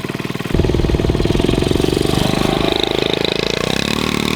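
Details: Garage-find Honda CT70 mini bike, long-sitting, first start in years: fires up at half a second into a fast, sharp, popping idle with a raspy bark from a makeshift cut-down open exhaust replacing the rotted pipe; new pipe planned.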